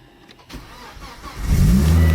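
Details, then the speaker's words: Ex-police Volvo T5 estate, manual, 2.4-litre five-cylinder turbo: brief crank catches at once and settles into a steady low idle; clean first-time start, sounds healthy. "it starts up first time"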